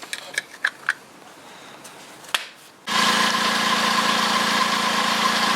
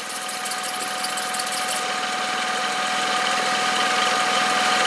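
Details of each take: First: 2012 VW up! 1.0 MPI 44 kW (CHYA) checked for a squeal from the belt drive: engine starts and settles into a smooth, even idle with no squeal or chirp from the belts; owner will replace the tensioner pulley if the noise returns. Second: 2012 VW up! 1.0 MPI 44 kW (CHYA) at idle: constant high-pitched squeal from the belt drive, disappears when sprayed with water and returns as it dries; slipping, slightly porous serpentine belt, replaced.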